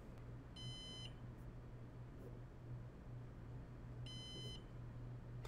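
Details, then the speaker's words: A Synology NAS gives incessant half-second high beeps about every 3.5 seconds over a low fan hum after a mode one soft reset via the rear reset button, signalling it worked and a volume is missing. "all right so now that incessant beeping means that it has worked so this is really annoying on camera so I'm going to move it out from underneath the mic"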